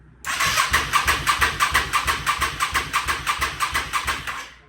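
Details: 1998 Yamaha V Star 650 after fuel system and carb work, airbox off, choke full, throttle accidentally left wide open: steady starter cranking about three compression pulses a second, never fires; cranks but won't start.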